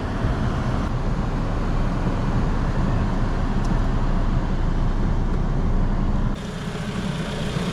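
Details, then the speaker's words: 2016 Toyota Camry with a no-crank complaint, idling with the lights, high beams and AC on: steady, even low idle that holds speed. The alternator keeps up at about 13.5 V under load; the old battery is suspected. "trying to load on just to see if this alternator is keeping up yep alternator seems to be keeping up with it"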